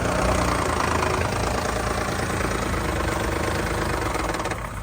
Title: 2010 Lexus RX350 030057 - engine knock